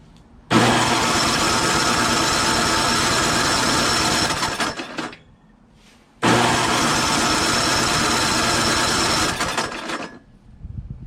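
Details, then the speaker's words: Craftsman 5.5 HP 24-inch two-stage snowblower engine with low compression, stalling and hard starting, cranking after head bolts were tightened with an impact: two long fast, even cranking runs with no firing; gauge rose to about 67–75, suspected blown head gasket. "you know it went up a little bit it's like 67 now actually that time it went to 75. look yeah that's interesting maybe it is of just a blown head gasket maybe that might be it"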